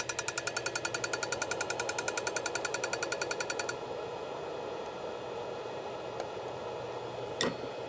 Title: Moving head ticking sound